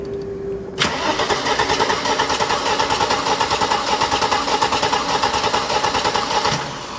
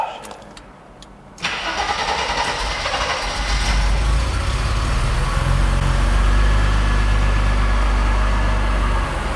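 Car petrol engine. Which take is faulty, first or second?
first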